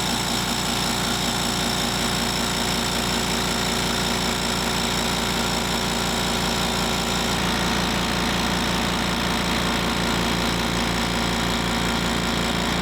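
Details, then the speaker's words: Harbor Freight 2-gallon air compressor on a table, phone decibel meter between compressors (background about 36–37 dB): loud, fast, even piston chatter over a steady hum, no knocks or stumbles; normal healthy running. "So we're going to start with the 2 gallon compressor. I'm going to fire it up, and then we'll see what the sound is like."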